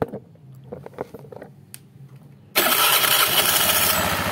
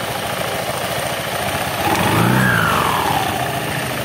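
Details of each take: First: Honda Beat injection scooter just started, rattle worst after revving: busy idle with a fast, uneven rattling tick on top; worn CVT front drive pulley bore rattling. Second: Honda Beat injection scooter, after shimming a worn thin bore that caused an otok-otok knocking, mic held close: engine blips up and settles smoothly with no knocking; noise gone.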